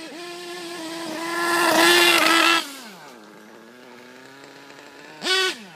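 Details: HPI Pulse nitro RC engine on 25% HPI racing nitro fuel, high buzzing revs rising and falling unevenly, dropping out with sputters; constant misfiring and popping, owner says not a fuelling issue, cause unknown.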